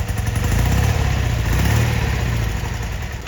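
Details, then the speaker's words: 1972 BMW R75/5 airhead twin with Bing 32mm carburetors, engine a little cool, idling at 930 rpm with vacuum balanced 59 and 59 during carb sync: low, even thumping idle with no misses or clatter; healthy, balanced idle. "So right now we're at 59 and 59. We're idling at 930. The engine's a little cool, but we're going to adjust our off idle."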